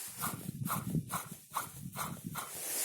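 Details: Opel Astra water pump removed and spun by hand: rough gritty rumble pulsing about twice a second, worn grinding bearing that sounded like a cement mixer on the running engine; replaced with a new pump.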